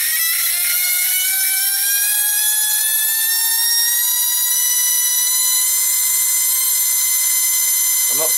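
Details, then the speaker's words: 20 mm EDF fan unit for a Huckebein jet, run static after balancing impeller with tape and drilled holes; clean high-pitched whine climbing with throttle, no rasp or wobble past the motor's mid-throttle noisy spot: smooth, balanced running. "but the thing to look at look how still that is i just really hope the camera picks that up and you can hear it sounds great"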